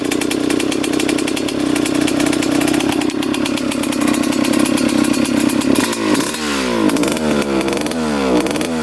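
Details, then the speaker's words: 2003 Suzuki RM125 two-stroke before repair: raspy rough buzz, revs flutter and sag unevenly with lots of blue smoke; extremely boggy, traced to a partly clogged pilot jet. "you definitely hear it [Music] definitely sounds boggy quite a bit of smoke coming out of here"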